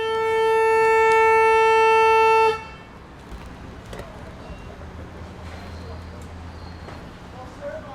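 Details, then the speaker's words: 2006+ gen 2 PT Cruiser: the horn blares steadily without a break, then cuts off abruptly when the pad is lifted; the horn pad is sticking. The fix is spraying white lithium lube into the three horn pad tab access holes. "You hear it sticking? That's a horn pad sticking."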